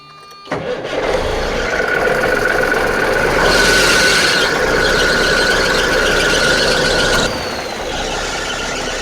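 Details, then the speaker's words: 1989 Freightliner cabover diesel at start-up after an oil and fuel filter change: the engine cranks and catches, then a steady high squeal from slipping drive belts rides over the clatter for several seconds. "Man, those belts, so irritating."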